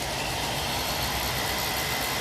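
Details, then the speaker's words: 1965 Mustang convertible heater blower motor, rebalanced with blu-tack weights on the cage, run on the bench: steady, even airy rush with no wobble or throbbing; vibration about a seventh of before, blower balanced. "can see the bottom trace here which is the vibration is a lot smaller than it was it's about a seventh of the level that it was so i'm quite pleased with that"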